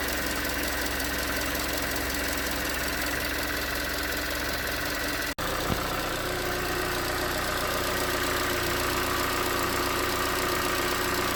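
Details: 2019 Hyundai Tucson 2.0L GDI Nu, 24,000 miles, cold idle on Mobil1 5W-20: quick uneven knocking about four a second over the drone; owner suspects piston slap, slightly better after switching to 5W-30, not confirmed.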